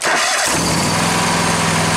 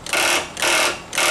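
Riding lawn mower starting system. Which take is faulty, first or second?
second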